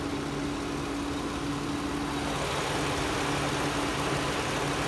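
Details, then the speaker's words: 2006 Toyota Sienna XLE V6, warm idle, phone mic near open engine bay: steady, even idle with light quick injector and valve ticking about three per second; normal, not a concern. "Again, my phone picks up the valve quite nice, so you might hear the fuel injectors and valves ticking. Not to be alarmed by that."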